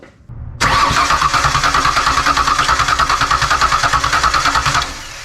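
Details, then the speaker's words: Rebuilt Ford Ranger 4.0 with plugs in but no spark, intake off, cranking to check for sticking: starter spins engine at steady three beats per second, every compression stroke even, no hang-up on any cylinder. "okay that sounds good right that sounds good it's not getting stuck on one cylinder that's a huge relief"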